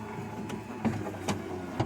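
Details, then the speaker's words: 1994-2004 Ford Mustang power window after fixing the popping: the original motor was kept and the regulator bracket teeth were tapped to clamp the gears; the glass rolls smoothly with no popping. "down, no issue, all the way up. No more popping, as you can see."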